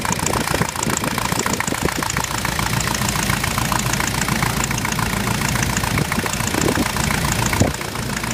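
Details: Diesel Jeep with a VM Motori 2.5 TD engine idling, with a steady knock of about three or four per second riding over the diesel clatter; an engine knock of undetermined source.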